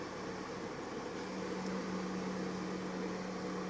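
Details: Toyota Lite Ace Noah, engine running, wheel turned left and right: a steady low drone from the power steering pump, which hums and steers heavily; a sealant additive is added, and later the hum was resolved.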